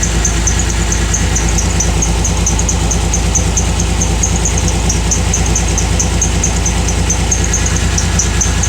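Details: Pontiac Grand Prix/Grand Am misfiring badly at idle despite prior shop work, scan showed injector circuit code: loud, uneven loping pulse about three times a second, one cylinder dead from a broken injector wire, computer fine.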